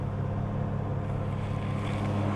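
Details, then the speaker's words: 1972 XA Ford Falcon 500, off the road since 2008, on first start after 16 years on choke, fed from a boat tank and likely flooded: steady, rough-edged low rumbling idle, even but very loud; it soon runs out of fuel, likely a stuck needle and seat. "My gosh, it's loud though."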